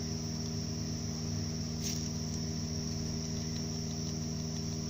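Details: 2008 Subaru Outback 5-speed manual: steady whirring with chirpy rough tones over a low gear hum from a damaged rear bearing of the gearbox input (clutch) shaft.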